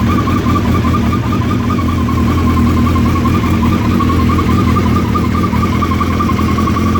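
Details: Suzuki Hayabusa idling from completely cold: constant warbling whirr above the engine note, same at any temperature per owner; cause not yet known.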